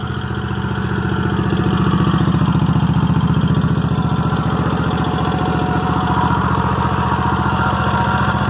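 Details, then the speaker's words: Toro walk-behind mower at 3000 hours, never a carburetor problem, clean air filter, plugs only cleaned; steady even single-cylinder putter with no misses or knocks, running and idling cleanly. "Never had any carburetor problems. Air filters clean as a whistle. Recoils sometimes go out, not the spring, just the rope frays and breaks. I'll start it up for y'all. Y'all can hear how it runs and idles."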